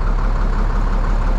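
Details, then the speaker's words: 1998 International 4700 DT466E diesel, started twice after a no-start caused by the missing high-pressure oil pump ferry plug check ball: deep, steady low rumble with an even beat and no knocking; smooth, healthy idle; engine light code still to check; normal diesel idle. "it's it's running smooth right now I've started it twice so I had to figure out that code"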